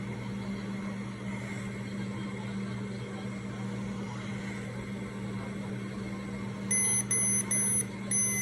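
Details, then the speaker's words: Remodulin infusion pump just switched on and running its normal self-test: a steady low hum, then about five sharp, evenly spaced high beeps as the self-test finishes, before the line is primed. "Now it's doing a self-test. Please wait."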